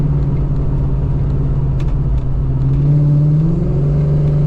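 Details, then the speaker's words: Coyote-swapped 1991 Ford Mustang Foxbody on first test drive after computer swap, new exhaust and alignment: steady low drone with revs hanging after throttle, attributed to the unlocked computer keeping the transmission in sport mode; RPM hang after throttle. "One thing you guys are pro probably noticing is the RPMs are kind of just hanging out a lot after I give it some gas. That's because the guy that uh essentially unlocked the computer that I'm using right now, he just put the transmission in sport mode all the time, which honestly I'm okay with that for now."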